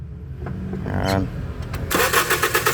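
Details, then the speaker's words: Toyota Vios petrol, check engine light on at key-on: the starter churns in quick, even bursts but the engine never catches; crank no start with no fuel pressure, problem traced to the fuel pump motor in the tank. "So cranking lang ito. Yan. One more. Ayon. cranking no start ang problema."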